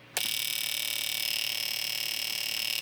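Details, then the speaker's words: Fuel injector tester on the workbench, after trace repair, hooked to a battery and driving a light bulb and scope: fast, steady electronic clicking about twice per second, even throughout; the tool now pulses normally. "And we can see there that our tool is working just the way that it's supposed to be."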